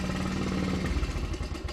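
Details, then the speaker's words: Honda CT70 after sitting, carb previously gummed: small single putters unevenly, surging and sagging toward stalling; cutting out a lot, fuel leaking from overflow, float suspected stuck; fuel-delivery problem. "i just want to show you guys we got it running um but we got to fix that fuel leak and it's definitely it's cutting out a lot it's not happy"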